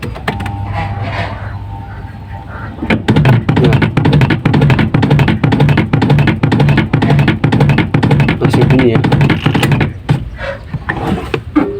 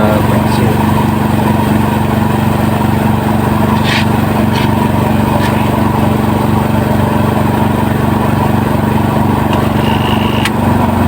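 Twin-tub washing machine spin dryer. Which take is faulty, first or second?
first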